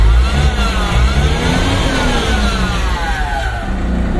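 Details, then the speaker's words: MAN diesel dump truck, parked about six months, started after repairing cut electrical wiring and replacing the battery, check engine light on; revved right after start, climbing smoothly and easing back with a clean even note, no knocks. "Revolution kaagad sa bagong start. Revolution kaagad bagong start para labas yung mga berzer."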